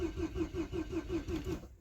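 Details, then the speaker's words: Peugeot 407 petrol in -10 °C cold morning: starter cranks steadily at about six pulses a second but the engine never catches; the fuel pump cannot be heard running (relay/fuse problem suspected), so no fuel is delivered. "не заводится так кинул глазом не слышу работу бензонасоса сейчас будем смотреть искать причину почему не заводится"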